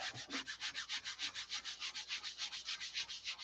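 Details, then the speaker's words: Dry sanding clear coat flat with 5,000-grit paper; quick, even back-and-forth rasping strokes, about three a second, audibly grinding despite the fine grit. "You listen, you can hear it grinding. And you wouldn't think, well, how can 5,000 grind? Well, it certainly will."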